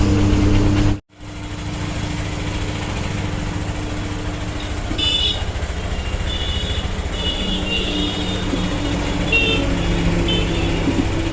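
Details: Honda Stunner motorcycle after new piston fitting for an engine sound problem: single-cylinder engine runs at a steady, even beat with no knock or rattle over street noise; normal running.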